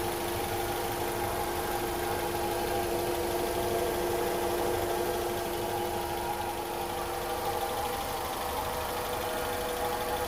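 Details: Honda CR-V first generation at idle: a constant mid-pitched hum with a thin whine on top, unchanged throughout and heard in the engine bay and cabin. Attributed to incorrect distributor timing.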